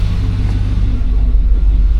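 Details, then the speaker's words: Suburban with original 1999 spark plugs, no longer surging but service engine soon light still on: deep, smooth rumble swelling cleanly as throttle opens, no stumbling; normal revving, more responsive than before. "This thing's running pretty good with the old plugs. She's gained some responsiveness, too."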